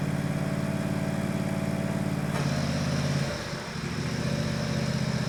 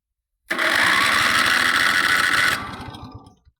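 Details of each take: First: Countax ride-on mower/tractor after transmission rebuild refilled with 75/90 fully synthetic gear oil, first drive; steady even engine hum and smooth pull-away, no knocks or whines from the drive: normal running. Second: Countax ride-on mower/tractor, engine slightly warmed earlier but maybe cooled, in neutral, started by touching a starter wire; starter whirs about two seconds and winds down without catching, later traced to a bad ignition switch connection: cranking, no start.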